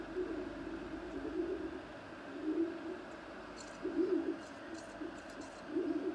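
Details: Creality CR-10S Pro extruder: low cooing squeak about every 1.5 seconds over printer hum, present out of the box and worsening; tightening and loosening screws didn't help.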